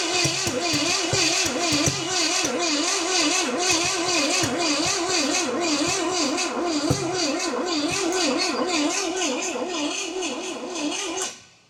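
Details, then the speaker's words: 1969 Pontiac GTO, apparent Pontiac 350, sat about 35 years. HEI hot, timing reset after possibly being about 180° out. Starter turns it over steadily at about two pulses a second for ten seconds but it never fires; spark check follows. "See what she'll do. Just turning her over. All right, let me check for spark here."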